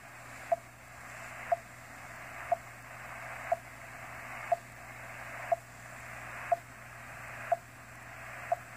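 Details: 30-meter amateur band: short, crisp beeps exactly once a second over steady hiss; a non-amateur intruder transmitter keying on the band.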